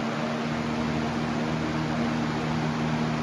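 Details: Box fan, shaded-pole vs capacitor (PSC) motor comparison, running at 124 volts on high; even, steady rush of air over a constant low hum with no rattle or wobble; healthy fan running flat out.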